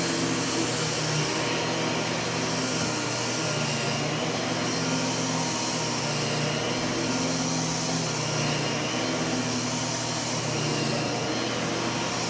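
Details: U1 upright vacuum switched on with its separate power and brush roll switches: smooth constant motor roar, brush roll spinning evenly, no rattles or pitch dips; normal running.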